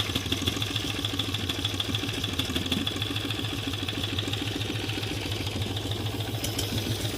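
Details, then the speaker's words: 18 HP V-twin minibike engine with stock carburetor, just started: loose, slow, uneven chuffing at a very low idle, barely ticking over but running steadily. Normal low idle. "It's just idling so low that it hardly picks it up."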